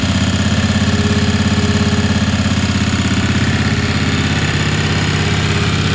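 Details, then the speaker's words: Ingersoll 448 lawn tractor, Briggs & Stratton 18 hp Vanguard V-twin, restrictive OEM air filter just removed: steady, even throb at constant speed, no surging or stumbling; engine resumes normal running. Normal running. "so we're going to remove that air filter you'll hear the engine resume to normal"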